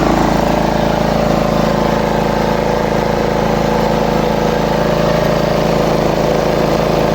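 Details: Small lawn mower engine after the repair and reassembly with the air filter back on: steady, even idle with no rising or falling of speed.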